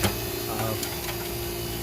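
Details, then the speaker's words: Scotsman ice maker being repaired for a leak, running after reassembly: steady low hum with faint light ticking and evenly moving water, no gurgle; water level correct, not overflowing or too full; normal running. "see your water levels bill it's working it's not overflowing it's not too full"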